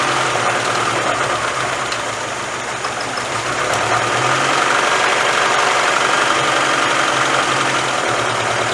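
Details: 1996 Mazda Miata MX-5 idling after a year sitting broken, with individual ignition coils; idle lopes unevenly with a stumble about three times a second under a rattly tone; misfire at idle.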